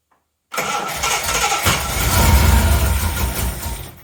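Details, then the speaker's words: 1980 Reliant Scimitar GTE SE6A after sitting over a month, dry plug and spark, fuel primed by hand: catches, runs rough about three seconds, then sags and dies; fuel supply problem suspected. "that sounded promising. It fired and it ran briefly."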